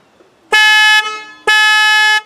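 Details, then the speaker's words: 1997 Land Rover Discovery 1 that won't start on the key: horn wired between starter feed wire and ground gives two clean half-second blasts as key is turned; starter feed live, so relay and solenoid are good. "so we know that the wire on the starter is good so we know that the solenoid and the relay is good we know all that's good"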